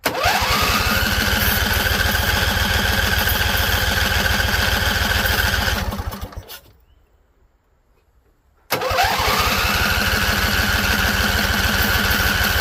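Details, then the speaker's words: Husqvarna Z254 mower with an apparently swapped engine, spark plugs seemingly not gapped properly: after carb spray it fires with a fast even beat, fades to silence for two seconds, then catches again but won't stay running. Owner suspects flooding. "All right, so it came on. I think we burned off all the carb spray we had in here. So let's give it some more. See if we can keep it alive."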